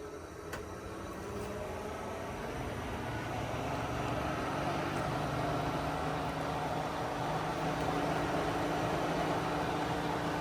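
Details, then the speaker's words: 1955 Willys Jeep CJ-5 heater blower after adding a ballast resistor on the firewall to stop the switch overheating; at full speed, steady even fan whoosh with low motor hum, no rubbing or scraping, running smoothly. "So, that's basically full blast right there. And it's still actually spinning pretty quickly and pushing a lot of air, but it sounds so much better."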